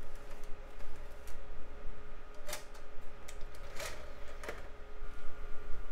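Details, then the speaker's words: Dusty DVD burner in a mid-2000s salvage machine: steady disc whir with a few sharp seek clicks, no grinding or rattle; drive works normally. "and looks like that one works too yes indeed"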